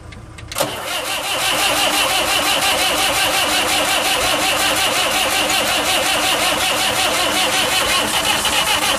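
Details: Saviem SG-2 diesel, replacement engine fitted after the old one failed, injection pump swapped onto it: starter cranks steadily, no cough or catch; won't start, only coughs on start-pilot. Owner suspects mis-timed injection pump.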